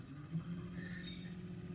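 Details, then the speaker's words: Minn Kota electric trolling motor at speed six to seven, screws loosened during tune-up: steady low hum with single even tone, no knocking or grinding, pitch slowing as adjusted; motor hum before finding sweet spot. "and I'll get you to listen closely to that humming away there and as I rotate that it seems to be a bit slower"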